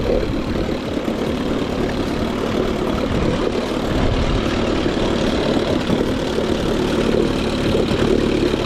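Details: Older 5 hp two-stroke outboard, a Nissan or Evinrude Angler, after a deep carb clean: a steady, buzzy even idle with no misses or knocks. The outboard runs smoothly; normal running.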